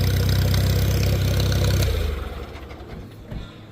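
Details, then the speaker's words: Small tractor at a pre-auction preview idles with an even low putter, then dies away; sounds good, healthy idle. "Yeah, that's that's nice. Sounds good. Sounds good. Re up a little. Yeah, not bad."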